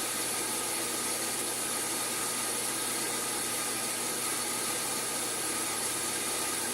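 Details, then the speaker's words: Sun SPARCstation 20 at power-on self-test; constant airy whoosh with thin whining edge, no speed change, from a dying cooling fan to be replaced; failing cooling fan. "first it's running all these tests is the dry fan is dying now I purchased a dry fan at the Micra Center for like 10 bucks and I'm going to actually replace it"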